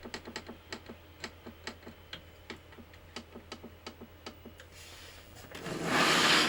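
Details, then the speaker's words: PlayStation 1 SCPH-9002 after laser replacement: sharp regular clicks, about three or four a second, then a rising whir as it spins up; drive still too loud, owner wonders about a power issue; it eventually recognises the disc. "Moment of truth. That still sounds like garbage, doesn't it? Right. Interesting. I wonder if there's a power issue. Yeah, so it's still a bit loud."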